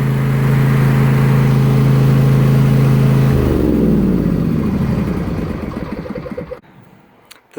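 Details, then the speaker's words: Riding lawn mower started on choke at full throttle, then choke pushed back in: steady, even engine hum with constant pitch and no knocks or misses before winding down; normal running. "I like to put on the choke and put the throttle all the way up then I can turn over the motor the choke back in up and running"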